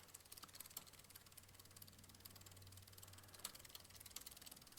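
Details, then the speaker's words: Walmart Concord e-bike: faint irregular ticking and clicking from the chain over a soft hum, with the rear derailleur sitting slightly too low and rubbing; chain noise from a misadjusted rear derailleur, fixed by turning the barrel adjuster. "It's actually almost going a little too low. I can hear it going."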